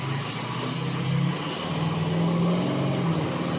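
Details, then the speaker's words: Diesel truck after fixing a bad injector that caused 3½ months of misfire and hesitation, not fully warm: deep note pulls cleanly and strongly at quarter throttle, no stumble; previously needed much more pedal. "Oh my God. That was only a quarter throttle, and before I had to put my foot in it to make it move like this."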